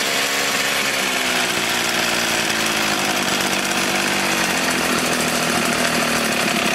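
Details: Echo HC-1600 two-stroke hedge trimmer, revived after sitting a long time: buzzes high and thin, pitch sagging and wandering slightly. Running lean with the high-speed mixture screw too closed; it needs opening about half a turn and idle may need resetting.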